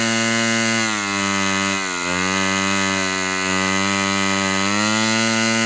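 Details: Fox Twin glow engine restart with glow plug energized: one cylinder lights then dies out, high buzz sagging near two seconds then recovering and steadying; cause unknown, nothing changed, needle to be opened back up.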